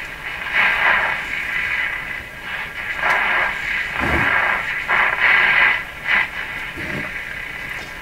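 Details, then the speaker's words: Strauss AM/FM tabletop radio during AM alignment with signal generator at 450: only hiss and a warbling tone as it tunes, no stations received; AM section misaligned. "a good radio would be receiving stations right now now that's probably due to the signal generator"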